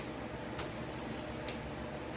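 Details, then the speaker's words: Honda gasoline engine-driven welder generator with recurring fuel delivery problems: fuel shutoff solenoid, wired through a 30–40 amp relay with the fuel pump, heard clicking sharply open and shut about a second apart over a quiet hiss; normal solenoid operation. "hear it open and close we're good there"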